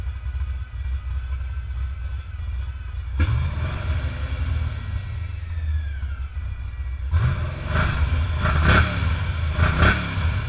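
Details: Ford 306 small-block V8 (formerly supercharged, spare-parts build): uneven, lumpy idle with sharp blips and faint hiss; intake manifold not torqued properly, fixed by torquing it down. Vacuum leak at intake manifold.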